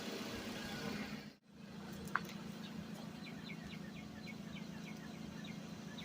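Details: Suzuki Vitara revived after sitting 13 years, run 15–20 minutes at a time to free up: steady low engine rumble, no knocks or misses, birds chirping outside; engine running smoothly so far.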